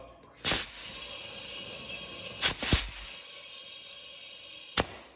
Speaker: you could hear it's still coming out a little bit over here so I'm going to cinch her a little tighter